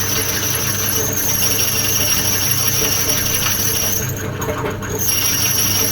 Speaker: hear how it's slightly squeakier that's because it's dulling off it'll need to sharpen